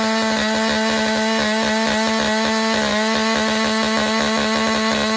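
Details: Warmed-up Husqvarna 572 autotune chainsaw at wide-open throttle in a long rip cut. A steady high buzzing whine dips and recovers as the autotune adjusts rpm under load, then returns to peak torque.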